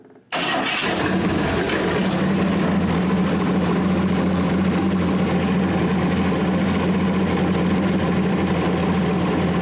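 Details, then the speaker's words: 1927 Hudson, restarted after a leaking hose was cut back and fitted with a new ferrule: cranks briefly, catches quickly, then settles to a steady, even idle with no misses or knocks. It runs healthy. "he runs it lives it's a big car yeah it's cool though huh"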